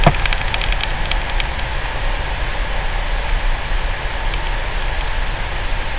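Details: Citroen C4 Grand Picasso while driving: a deep, steady 28 Hz humming drone under the road noise, cause unknown.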